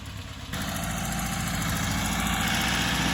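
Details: 1968 Porsche 912 air-cooled flat-four with rebuilt, tuned carburetors after fixing a bad fuel hose and doubled-up O-ring: steady, even idle, smooth low rumble, no knocks, misses or hunting; healthy, though an exhaust leak remains.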